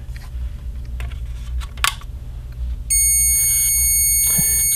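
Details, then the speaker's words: Airgap high-speed flash being adjusted for voltage: a steady, very high-pitched whine after a few handling clicks as the supply charges normally to about 17–18 kV. "humming noise means that it's uh dangerously high voltage basically"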